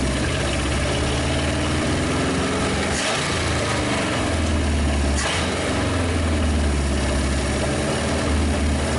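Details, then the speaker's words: 1956 Studebaker Golden Hawk V8 at its first start, not yet able to start on its own: it runs rough but fires, picking up quickly on two sharp throttle blips and settling back. It is running on all cylinders, with compression still unknown. "It revs quick. It was actually running on all the cylinders."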